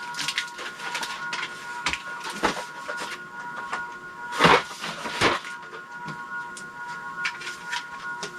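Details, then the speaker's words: Envirofan 160F 56-inch curved blade industrial ceiling fan, motor with blades installed on variable speed control: steady high-pitched electrical hum under clicks and handling, much louder with blades on than without. "Okay, let's turn it on. Yeah, it's much louder with the blades on."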